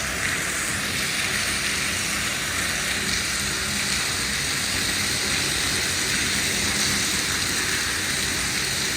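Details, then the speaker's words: New Goulds well pump on first activation filling a 2500-gallon tank: buzzing, strong steady rush of water with no sputter or surging. Good flow rate and no leaks in the plumbing from the well. "we go you hear that buzzing that is water flowing baby and no leaks so far at least the plumbing coming out of the well well that sounds like a pretty good uh flow rate too"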